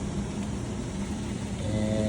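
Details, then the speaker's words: Newly installed AO Smith 500 power-vented gas water heater at first fire-up, gas on, temperature set: steady low hum with a faint tone joining near the end as the power vent blower spins up normally; it needs to be plugged in. "Set this to the desired temperature. There you go. I hear the fan going. if the power vent is not plugged in, this will not work."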